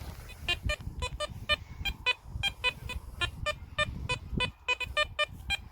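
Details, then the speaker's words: Garrett Apex metal detector over an old farthing buried at the shallow hole: repeated short, clear beeps, roughly two a second; an easy, solid target signal. "yeah it's easy going to pick that up we knew that was going to get that from there"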